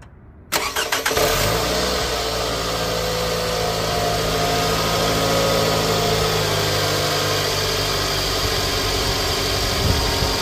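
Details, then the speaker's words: 2008 Scion xB, 352,000 miles, startup before oil change and engine flush: fires quickly and settles into a steady idle with a fast, light ticking on top; owner describes loud valves, likely lifters or valves, unconfirmed. "so this is for like the cars with the real loud um valves this right here requiring your car down we're gonna let you hear how loud the engine is before the oil change and then how loud the engine is afterwards when we put this in"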